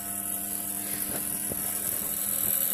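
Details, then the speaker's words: Ernst Leitz carbon arc lamp powered by a transformer welder set to 50 A (about 53 V open circuit; lamp rated 45 V, 15 A), fitted with modern brazing electrodes: faint irregular clockwork ticks over a steady transformer hum as the clockwork feed moves the electrodes together normally. "we can hear the clockwork mechanism starting to move inside and see the two electrodes moving together."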